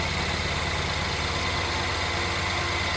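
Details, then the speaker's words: Rebuilt BMW N43 engine in a 320i E92 settled to idle after first start; steady, even low hum, no knocks; audible noises include the high pressure fuel pump, which are normal. "There we go, gone to idle now. Those noises you can hear is that, and then the high pressure fuel pump that's just there. So they're normal noises, but yeah."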